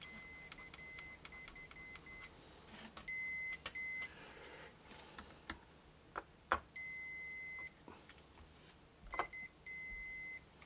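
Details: Jaguar bass being fixed for hum amplified by its treble boost: multimeter continuity beeps in short clusters as probes touch, confirming the plate is now grounded to the cavity via an added jumper.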